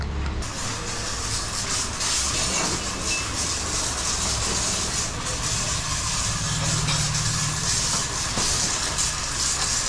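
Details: Motorcycle chain and sprocket after the noisy-chain fix of fitting a chain lock and applying grease: steady, even whir with no slapping, clatter or ticking, so the drive sounds smooth and healthy.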